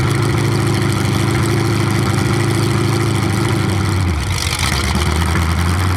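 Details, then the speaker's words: 427 big-block Chevy V8 on an engine run stand, first fire after a very long time unrun, distributor timing just adjusted: loud, even open-header beat holding steady, settling lower after a rev; smooth, no misses or knocks. "I think I went the wrong way, but yeah, that sounds really good. It actually sounds really, really good."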